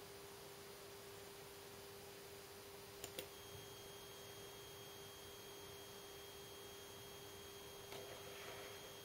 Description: LG LED monitor E2260S making annoying buzzing sounds